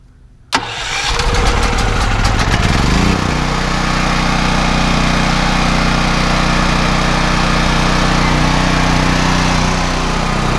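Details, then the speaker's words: Westinghouse WGen9500DF dual fuel generator started on gasoline: quick electric crank, catches and settles into a steady, even, fairly loud hum at constant speed; starts and runs normally. "yeah sounds like about a knee generator in this class pretty much they're all kind of loud"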